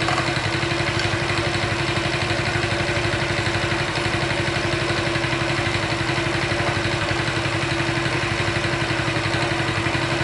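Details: Engine rattle at idle on a HONDA Chaly small single-cylinder engine, previously disassembled and reassembled with few parts replaced; steady idle with a light metallic clatter over the even beat, noise persisting after reassembly; cam chain tensioner to be checked.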